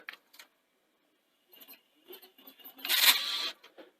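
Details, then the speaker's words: Panasonic AG6200 VHS deck on test: scattered light mechanical ticks, then about half a second of harsh grinding from under the deck. Suspected dry intermediate gear on the lacing/mode-select mechanism. "is something sounding really bad from underneath the deck now that is actually more than likely there's a little gear intermediate gear on the um lacing mechanism or the the mode select then mechanism um through the belts and it's probably that that's that's running dry"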